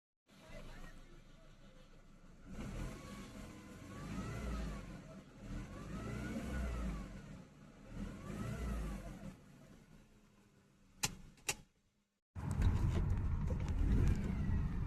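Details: 2003 Mercedes CLK 200 W209, M271 1.8 Kompressor petrol, 6-speed manual: thin electric-like whine rising and falling with rpm; supercharger recently serviced, owner suspects alternator (diodes or bearings) or a belt idler/tensioner pulley.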